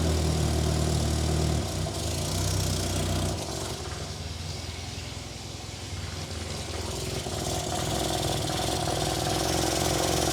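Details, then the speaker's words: 1963 Austin Healey Sprite after cleaning SU carbs and fixing exhaust leak, just started cold before enrichment tuning: low, steady idle with even firing and slight cold roughness, no exhaust puffing or popping; running cleanly. "Already sounds a lot better. Have to get just a little bit of heat in the motor, and then I can start tweaking on enrichment."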